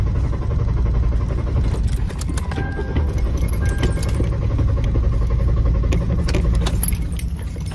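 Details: Car broken down on roadside, transmission going bad and exhaust manifold needing replacement: starter churns steadily at about four turns a second for several seconds, engine never fires; crank no start.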